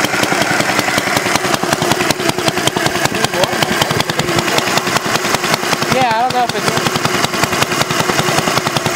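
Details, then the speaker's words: Homemade water-cooled Briggs & Stratton single-cylinder engine on maiden run with gear-pump coolant and radiator: regular, evenly spaced beats at steady speed; healthy, shedding heat from radiator. "Something spray hot water. It's doing good. I mean, yeah, considering it's it's blowing off heat from the radiator."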